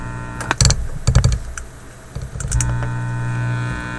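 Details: Teletone 67-600E record player amplifier, tubes warmed; steady low hum with buzzy edge under handling clicks, unchanged on isolation transformer or wall outlet with plug reversed, so mains ruled out, unlike power-supply filter hum.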